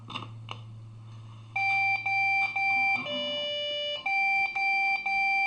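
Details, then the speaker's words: Desktop computer that suddenly won't boot, beeping at power-on. Three equal beeps on one tone and a fourth on a different, lower tone repeat over and over; a POST beep code indicating a memory error. "The four beeps are equal length, but three are one tone and then the fourth one's a different tone."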